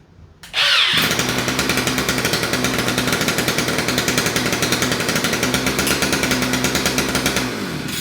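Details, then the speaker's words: 2-stroke string trimmer with electric start, after carburetor cleaning and reassembly, run without the cutter head: buzzes up quickly and holds a steady, high-pitched, even rev with no misses or stumbles; normal running after a no-start fix. "want to run it too much without the cutter head on there, but it looks like this thing's working."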